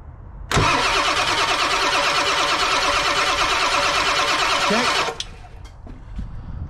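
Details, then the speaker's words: OBS Ford 7.3 Powerstroke with code P1211, high-pressure oil pump test with one side's line blocked and 12 V on the IPR: strong, even cranking for about four seconds with no drag, building about 3500 psi; normal. "all right so right there we got about 3500 PSI okay one more time okay perfect"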